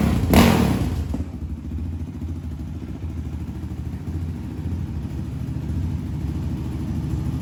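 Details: 2020 Yamaha Raptor 700 after engine swap and valve adjustment (valves had been too loose, risking ticking): a thud, then steady low single-cylinder idle with no valve tick; healthy idle.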